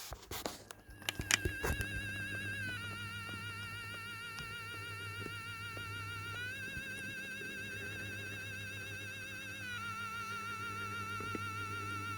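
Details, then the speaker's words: Topstone animated and illuminated Halloween motionette figure with sound on: wavering siren-like tone loops over a low hum, muffled and warped; laugh sometimes stops and won't retrigger; owner suspects a sound IC glitch, unconfirmed. "it makes the classic laugh sound which sounds a bit distorted and muffled but I guess that's just the recording"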